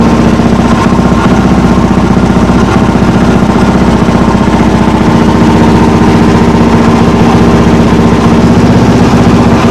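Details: Single-cylinder motorcycle, not yet at temperature, after carburettor rebuild with new accelerator pump diaphragm, untuned: steady fast idle with slightly uneven, lumpy beat; owner reckons it's running a little lean, suspects fuel supply.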